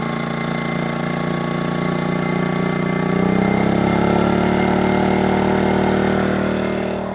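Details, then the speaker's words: Predator 2000 portable generator recharging a Zendure SuperBase Pro 2000 battery; steady hum rises in pitch and loudness as charging load builds toward 1,500 W, then holds smooth, a normal response to heavy load. "Now the Zendure SuperBase Pro takes a lot of wattage, guys. A lot. Listen to that generator."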